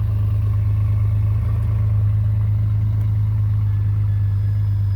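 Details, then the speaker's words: Jeep Grand Cherokee Sport 4.0 inline-six at idle: smooth, even low rumble with steady loudness and no knocks or ticks; sounds healthy. "now this thing sounds mint though listen to this thing she burned"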